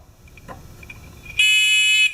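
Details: Discovery metal detector pin pointer, too quiet out of the box to hear at the beach: one thin shrill beep about two-thirds of a second over near silence; owner suspects buzzer facing wrong way or potentiometer turned down.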